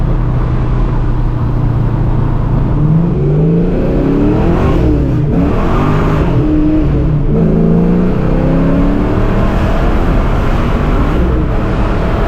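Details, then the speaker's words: 1987 Saleen Mustang Fox body, replacement V8 with noticeably smaller cam than the previous unbalanced motor, on maiden drive in fifth gear; gauges good. Deep steady note rising and falling smoothly with revs, no knocks or shake: smooth running. "Seems to be running good. Nice and smooth. You can tell this cam's a lot smaller than the cam in the other motor."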